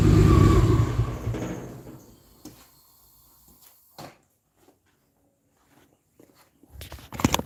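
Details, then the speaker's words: 1949 Chevrolet fitted with a 4200 Vortec four-valve engine, first start, no exhaust fitted yet: loud open engine blares on a free rev then winds down; very revvy, good throttle response, sounds healthy. "Yeah, I'm really surprised. This engine is definitely going to be an interesting one. It has a very, it's very revvy for sure."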